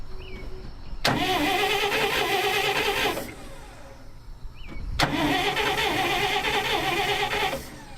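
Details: 1959 Dodge D-300 truck, rebuilt starter installed after moving solenoid: two clean cranking bursts of about two seconds each, engaging crisply and dropping out cleanly; starter working properly.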